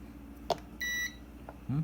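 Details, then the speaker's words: Kärcher WD 1 vacuum cleaner that won't turn on: one short high continuity-tester beep as the probe touches the motor lead, showing the wire broken at the terminal. "entonces prácticamente lo que tenemos aquí es que está reventado el cable está reventado el cable y por eso es que no está haciendo contacto y por eso es que se quedan apagados"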